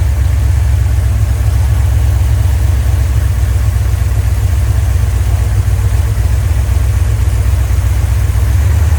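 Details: Rebuilt 1990 Mopar 318 V8 from a D150 truck (Comp special-grind cam, Air Gap Magnum intake), vacuum advance on manifold vacuum, about 29° at idle, 33° total, idle vacuum low, rpm up 100; deep, steady, even rumble, no knocks or misses, throttle responds fine, healthy.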